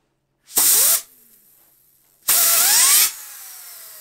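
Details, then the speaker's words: Small bearing for a garage-built jet engine, rated to 200k rpm, spun up by air bursts. It coasts down with a rough buzzing whine and vibration because one ball is missing, causing large imbalance. "Il suono è completamente diverso, c'è una vibrazione, ma non so nemmeno cosa farmene?"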